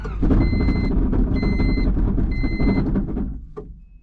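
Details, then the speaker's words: 1996 Honda Civic with a D16Y7 single-cam non-VTEC engine and 5-speed, not run in nearly a month, started with a jump starter: an uneven, lumpy, shaky rumble on the cold start that shakes the whole car, then it dies away; rough running. "that doesn't sound good at all what the hell sounds horrible the whole car is shaking there we go let's take you out for this cold start"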